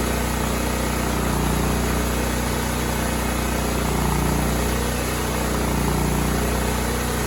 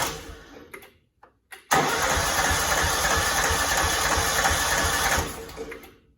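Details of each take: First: Cub Cadet 2166 mower, 16hp horizontal Kohler Command single-cylinder engine, running after a new fuel pump and a replaced brake spring switch activator. It needed priming, then ran an even, steady thump at constant speed with no surging or knocking. Healthy. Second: Cub Cadet 2166 mower, 16hp horizontal Kohler Command single-cylinder engine, brake switch activator temporarily fixed, choke on: starter cranks steadily about 3.5 seconds but never catches; owner suspects the fuel pump needs priming. Crank, no start.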